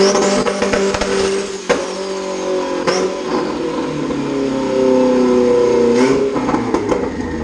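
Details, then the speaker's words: Turbo B16 EG Honda Civic after a stock fuel pressure regulator fixed running on all four cylinders, still burning off excess fuel; sharp free revs with loud pops on lift-off, building boost well; healthy engine, throttle still sticks slightly. "oh wow it sounds like it was building boost really well oh yeah oh yeah"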